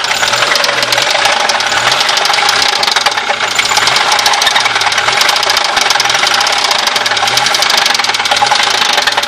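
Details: Audi 80 B4 at idle: sharp metallic knocking repeats steadily with every turn, clearly above the engine's hum; knock inside the engine.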